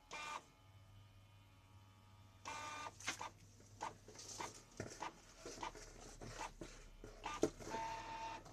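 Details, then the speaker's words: Canon G2000 printer: bursts of harsh scraping and clatter each time the carriage moves while printing, caused by dried-out grease on moving parts; fix is applying white grease. "ทีนี้อาการแบบนี้นะครับก็เกิดจากตัวจาระบีมันจะแห้งครับในน้ำจาระบีแห้งส่วนที่มีการเคลื่อนไหวก็ทำให้เกิดเสี"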